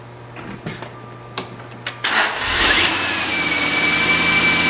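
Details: 2003 Jaguar XJ8, automatic, 138,000 miles, rear-damaged parts car, recorded from a tripod-mounted camera: the starter cranks about two seconds, then the engine catches cleanly and revs up to a steady, even run. Normal start.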